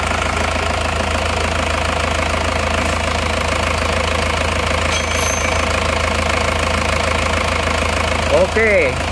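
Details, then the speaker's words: Diesel engine idling after repair of blow-by (ngobos) from the crankcase; steady, even, smooth idle with uniform clatter and constant low hum, no puffing; blow-by gone, engine healthy. "Alhamdulillah hidupnya rata suaranya halus kita gas-gas dulu dan yang penting lihat ini sudah engak ngobos lagi Sudah aman engak ngobos lagi"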